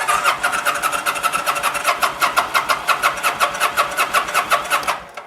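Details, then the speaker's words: 2009 Kawasaki VN900 Classic, fuel-injected liquid-cooled V-twin, sat a season with old gas: brisk, even cranking near three beats a second, fuel pump primes, battery healthy, but never catches; fouled spark plugs prevent firing. "old gas and spark plugs are not friends okay"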